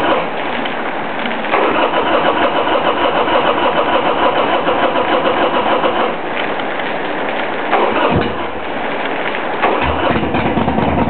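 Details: 1999 Harley-Davidson Sportster XL after sitting idle for a couple of months: the starter grinds for several seconds with only uneven firing before the V-twin barely catches; hard starting.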